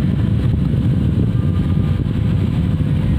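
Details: 24-volt double blower fan in a truck run on 12 volts at speed 2: steady, fairly strong low whoosh with no rattles or hunting, about as loud as speed 1 on 24 volts; blower running normally.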